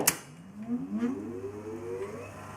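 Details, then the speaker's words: Grundig TK7 reel-to-reel: tones slide upward and wobble as the tape runs fast and inconsistently, sounding like maximum speed. The tape seems oddly positioned in the capstan assembly; mechanical calibration is suspected to be needed. "so as you can hear there's a yeah it's a very inconsistent and things tape seems to be positioned weirdly in the the capstone control or assembling so I think this needs to be calibrated mechanically I don't know it sounds like on maximum speed"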